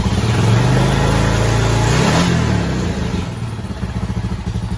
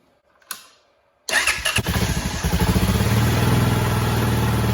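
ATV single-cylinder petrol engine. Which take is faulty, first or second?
second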